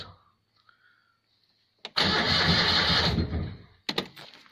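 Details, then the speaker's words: Citroën 2CV engine after rebuild (652 cc conversion), no exhaust fitted, cranked without ignition only to build oil pressure: about a second of even starter cranking near four turns a second, no firing, then a few clunks; healthy spin-over. "we are not trying to start the engine all the one to do is make sure it has oil pressure so all I've done is wire the ignition light yes"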